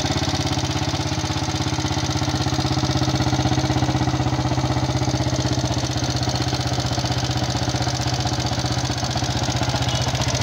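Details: Yamaha Jupiter MX King fuel-injected motorcycle with thin exhaust smoke, before engine teardown: fast, even ticking clatter about four a second at a steady idle; significant wear of piston, rings, valve seals or guides suspected, not confirmed.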